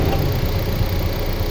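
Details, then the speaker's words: 2001 Honda Civic Dimension fuel-injected, automatic, dipstick pulled, under-hood listening: smooth steady low idle, no misses, knocks, stumbles, puffing or smoke; engine healthy. "โหเครื่องสุดยอดนะครับเครื่องไม่พ่นไม่ไอและก็ไม่ควันนะครับไม่มีสะดุดนะครับเดินเรียบมากๆเลยนะครับ"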